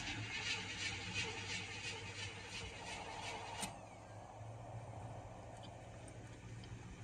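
Starter turns the engine over in an even, slow rhythm, about three beats a second, without catching for a long while: hard starting.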